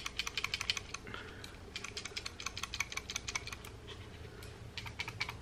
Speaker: Makes the same rattle, so nothing to do with that.